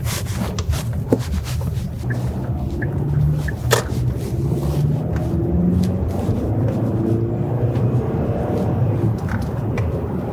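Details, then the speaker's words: 2013 Hyundai Santa Fe Sport 2.0 turbo after replacement engine installed (original had oil burning and knocking), test drive on winter tires: steady low cruise rumble with wind and road noise, no knocks or ticks; lots of power. "Steering wheel is straight. No unusual noises from the engine. Got lots of power."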